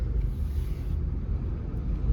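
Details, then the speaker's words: 2015 Toyota Venza after repairing the rattling rear heat shield, driving with windows closed and AC off: steady low road rumble, no rattle or vibration from the rear, problem gone. "there's no vibration nothing on the back"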